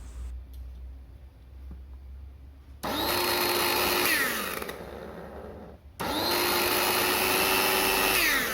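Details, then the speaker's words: Jaco EZ Hoover vacuum cleaner motor spins up twice with a harsh, rattling roar over its whine; rough abnormal noise from a badly failed motor bearing, confirmed on disassembly. "itu mengeluarkan suara yang kasar. Anda bisa mendengarnya di sini. Bunyinya berderak, dan suara itu tidak normal. Biasanya, kerusakannya ada pada bantalan."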